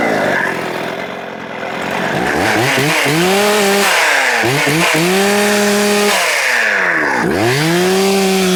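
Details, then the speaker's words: Rebuilt Husqvarna 266XP chainsaw on a brand-new chain: it screams at high revs, then drops sharply and labours in the wood because the chain is dull, cause unknown, no dirt struck. Owner also suspects the bottom-end bearings. "That chain is dull. Um I wonder what caused that. I didn't hit the dirt."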